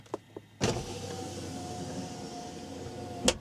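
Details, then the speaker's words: GM car with U1170 loss of serial data from driver door switch, driver window commanded down via scan tool bi-directional test: click, smooth even motor whir about 2.5 s, thump at stop; window motor works. "so it goes down so now I'm going to go up okay that looks good"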